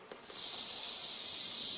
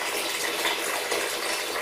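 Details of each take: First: Refitted towel rail radiator after central heating is switched on: sharp, steady high hiss of trapped air venting from the opened bleed valve as water rises up through the radiator; no leaks found. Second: Towel rail radiator being drained: steady airy hiss with gushing water as air enters through the loosened top air release valve, letting the water drain out quicker and clearer.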